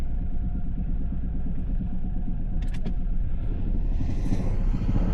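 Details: 2022 Toyota Tundra V6 petrol, just jump-started, idling: deep steady knock under low rumble; engine being replaced.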